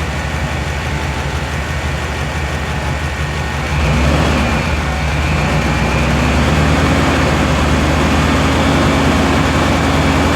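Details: 2000 Chevy Tahoe LT 5.7L V8 after distributor replacement for a crank-no-start (out-of-time distributor, shaved gears), setting cam retard: steady low rumble steps up around four seconds, then holds an even fast idle near 1000 rpm; running normally.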